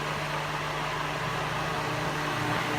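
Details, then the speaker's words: Holmes Blizzard table fan, 2004, 13 years old, thrift store find; loud steady rushing hiss with low hum, no knocks, louder than a 50-year-old Westinghouse — excessive fan noise, cause not confirmed. "It's very loud. It's a lot louder than my Westinghouse table fan, which is years and years and older,"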